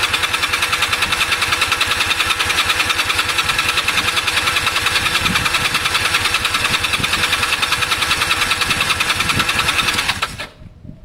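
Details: Honda CB250 compression test, plugs disconnected, throttle wide open: steady unhurried starter cranking about 2.5 beats per second, no firing; gauge about 60–90 versus over 150 expected; low compression.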